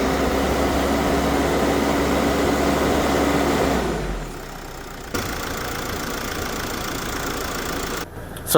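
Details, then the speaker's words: Mercedes Sprinter diesel idling after alternator bearings, brush pack and clutch pulley were replaced: steady even hum, previous alternator whine gone. "So, you would have seen the before when it was a bit whiny with the bearings and the clutch pulley. And now you'll hear it that everything has been replaced."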